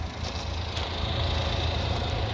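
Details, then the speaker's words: 4WD Honda Acty Attack mini truck at idle during walk-around: very quiet, soft low hum with no knocks or ticks, no smoke, some water vapor; slight oil smell, owner suspects distributor cap O-ring or valve cover gasket; normal idle. "I wanted to get the walk around everything's running good engine listen how quiet it"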